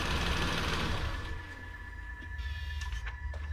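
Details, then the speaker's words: 2012 Nissan Versa (Latio), N17 three-cylinder, after repair of a loud air-escaping noise at shutoff. Idles, then switches off and fades quietly with no hiss: fixed. "So no noise. So I'm gonna call that a fix."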